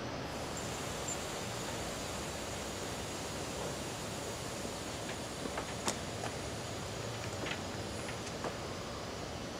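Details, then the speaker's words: Car AC system pressurized with nitrogen to about 100–110 psi for leak testing: constant airy hiss with nothing mechanical, traced by ear to a leak at the condenser; soap solution to confirm. "i do hear a hissing noise let me see if i can zoom in on the noise"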